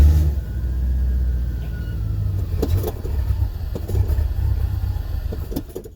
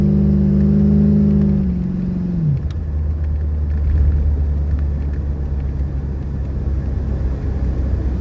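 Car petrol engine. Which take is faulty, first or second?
first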